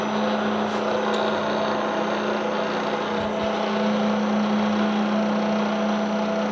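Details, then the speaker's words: Bridgeport mill head, spindle set to about 1400 rpm during spindle arbor and bearing replacement: steady hum with sustained low drone near 200 Hz; abnormal running noise persists, source elsewhere in the head. "yeah you hear it see something else something else is being noisy right now"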